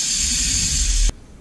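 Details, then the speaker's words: AccelaVelo Mag-X magnetic bike trainer, new out of the box; steady hissing, scraping rattle while the wheel spins that stops abruptly when it stops, caused by a loose magnet rubbing inside the magnetic resistance unit. "I'm afraid this noise might be damaged or something maybe something's just rubbing bent or something so I'm gonna take this apart real quick and just take a look at things and see see what I can figure out is making all this racket"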